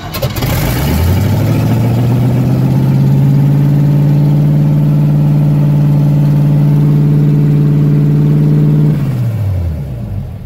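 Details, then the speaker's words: Car with solid engine mounts, no alternator, push-button start: engine catches and settles into a steady fast idle with raised hum; idle too high, owner suspects choke since electric choke isn't hooked up. "I know the idle's up a bit too high. I'm pretty sure it has to do with the choke, because I don't have the electric choke hooked up."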